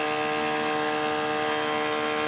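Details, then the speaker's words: F-22 profile RC plane with throttle cut off after rewiring the ESC connections: a steady, even, high-pitched whine with no wavering, showing the brushless motor runs normally. "Okay, so now throttle cut is off. Pushing. Clearly the motor is working."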